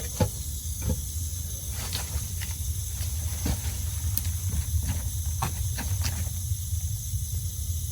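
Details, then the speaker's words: Rain Bird sprinkler valve after diaphragm replacement, water turned back on: steady soft rush of flow with a few light ticks, no spurting; no leak afterwards, valve working normally. "So now I got to do is I'm going to turn the water on and see what happens. And cross your fingers. I hear water going"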